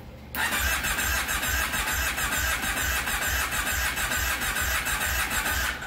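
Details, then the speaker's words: 2005 Kawasaki Brute Force 750 ATV with intermittent no spark: starter cranks steadily with a rhythmic chug and whine for six seconds without catching; crank sensor signal checked good, failed CDI box suspected; crank no start. "so uh onward we're playing with uh intermittent no spark and uh it's kind of leading uh us towards possibly a failed CDI box"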